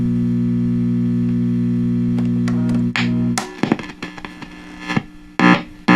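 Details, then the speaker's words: 1966 Fender Deluxe Reverb tube amp, warmed up, inputs tested: a loud low buzzing hum drops out abruptly, then crackles and pops in short bursts. The amp has an intermittent hum of unknown cause, not yet found. "Okay, now it's humming. The inputs all make sound. We need to figure out what is causing this."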